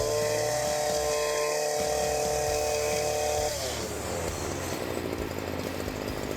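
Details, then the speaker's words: STIHL FS40C two-stroke lawn trimmer running after a gas-leak repair (failed tank vent): steady buzz that sags and turns ragged, an erratic idle that sounds like it will die; carburetor clean or replacement to be recommended, cause unconfirmed. "She is on and running. The idle is a little erratic. It almost sounds like it's gonna die out."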